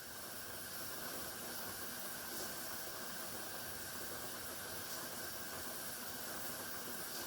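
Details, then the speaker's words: Pressure canner processing tomato sauce, heating before the regulator rocks: soft steady hiss/whistle of steam venting with no rocking rhythm yet; pressure building normally. "Now you can hear the whistling. That's letting you know that that steam and that pressure is building up."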